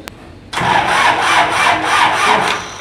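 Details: Isuzu diesel generator engine: starter grinds it over in a steady rhythmic churn, about three turns a second, for two seconds without catching; hard starting.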